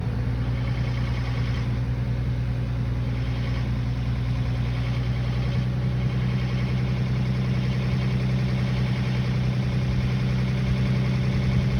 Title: VQ35HR 1100-1200rpm ticking noise